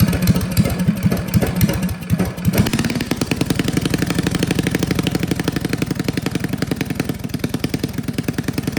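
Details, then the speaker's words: Old Russell 196cc four-stroke engine on a Baja mini bike, sat for years, after carb rebuild (gummed, stripped jet and emulsion tube drilled out) and throttle arm tightened for broken idle screw: quick, even putter, steady rhythm; normal running. "Awesome, it sounds so cool. Oh, I'm so proud of myself. That carburetor was a nightmare."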